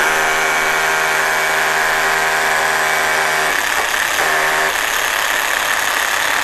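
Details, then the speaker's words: Cordless hammer drill on 4.0 battery drilling concrete: motor whine even at first, drops out around 3.5 seconds, briefly recovers, then sags again; sounds fine unloaded but bogs once drilling, cause unconfirmed. "This thing here, no worky. It sounds good, but as you start to drill, it kind of changes its mind."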